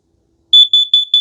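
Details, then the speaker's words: Kidde plug-in gas and carbon monoxide detector with 9-volt battery backup, test button pressed: after the gas beeps, four quick shrill beeps follow, the carbon monoxide alarm pattern. "so if you hear that that's a gas now you hear the four quick beeps beep beep beep"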